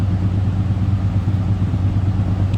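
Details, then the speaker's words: 1987 Oldsmobile Cutlass Supreme, 307 (5.0 L) V8, showing 67,405 miles: deep, even, low exhaust burble at idle with a steady beat and no misses or ticks. A healthy idle. "hear this run oh Rumble coming in at 307."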